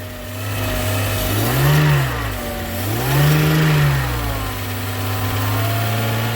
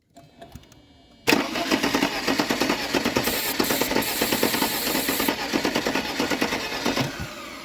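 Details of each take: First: Mercedes-Benz W201 190E parked in a field since 2008, first start on starting fluid with throttle: catches, revs up and down twice, settles to steady idle with oil pressure, no ticking or knocking; sounds healthy. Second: Mercedes-Benz W201 190E parked in a field since 2008, start attempt with a fuel line off the distributor and starting fluid: steady starter cranking with even compression beats for about six seconds, never catches.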